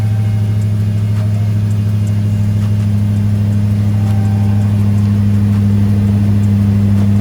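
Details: 2018 Dodge Charger Hellcat V8 after a JLT short ram intake install: a deep, smooth, even rumble rising slightly with throttle, with no hiss, misfire or ticking; normal idle and rev.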